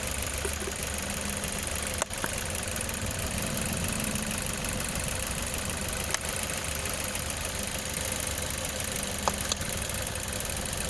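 Petrol engine idling with an uneven, stumbling beat and occasional sharp knocks over the steady hum, consistent with a misfire. Cause suspected, not confirmed.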